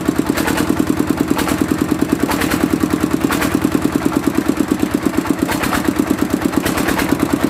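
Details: Mitsubishi single-cylinder diesel, after repair of diesel leaking into the oil sump with heavy white smoke (pump plunger, valve and seal replaced): steady, even thumping with the usual clatter and no misses; pump side healthy.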